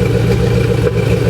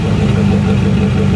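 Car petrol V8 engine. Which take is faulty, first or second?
first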